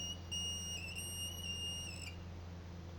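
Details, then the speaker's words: Fluidmaster 400A toilet fill valve: piercing steady whistle over water hiss, wavering then cutting off when the valve is wiggled; temporary fix, water level too high, valve needs replacing. "how do you know your fuel valve is bad well that horrible sound coming from it is one thing"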